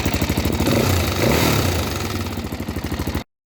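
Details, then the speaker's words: Rebuilt single-cylinder four-stroke (DRZ 400 type) with about 30,000 km, rebuilt after a broken valve guide dropped metal into the combustion chamber: even thumping rising with a light throttle blip, faint top-end clatter; normal running. "as you can hear still some engine noise but for 30,000 kilm that's completely okay"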